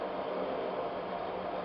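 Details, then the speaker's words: Friction test rig demonstrating Mecacyl lubricant, loaded about 5 kg and more: steady buzzing whir turning gritty as the oil film breaks down, the contact vibrates, heats, and marks the ball. "on retrouve cette vibration de sonorité pourmener jusqu'à une certaine limite"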